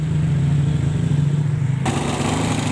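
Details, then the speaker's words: Second-hand Yamaha Mio Smile scooter, new belt fitted but worn front pulley and roller housing unreplaced, oil leaking from cylinder block and head, idling: deep uneven coarse beat, engine rough and not yet serviced. "Nah ini suara mesinnya ya, agak kasar."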